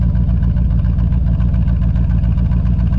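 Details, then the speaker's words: 1979 Jeep Cherokee with an AMC 360 V8, first run after sitting 3-4 years: a steady, even idle with a regular low pulse, no misses or knocks, all eight cylinders firing, a normal idle. "If it's not hitting on all 8, I don't know why it wouldn't be. It sounds like it is. It sounds like it's hitting on all 8 to me."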